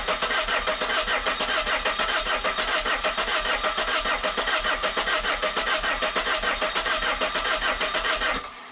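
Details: 1.9 JTDM/CDTI diesel after a snapped timing belt, rebuilt with a new belt, water pump, rockers, pulleys and glow plugs, fuel primed via ignition. Steady starter churn, even compression beats, never catches: cranks, no start. Air earlier escaped past the injectors, since reseated.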